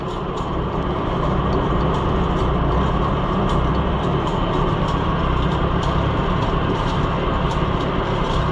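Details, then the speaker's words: Oliver Super 66 tractor driving a cheap auction-bought pull-type bush hog mower through the PTO at first start-up: steady, even drone with light regular ticking, no grinding or banging; runs quiet and smooth. "I thought maybe I didn't want to stand right there, but oh, it runs quiet."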